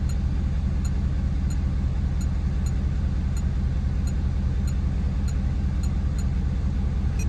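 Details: Ford F-250 6.7 L Powerstroke diesel after fuel filter conversion and key-cycle priming: steady even idle, smooth low rumble with regular firing pulses, no misses or knocks; healthy.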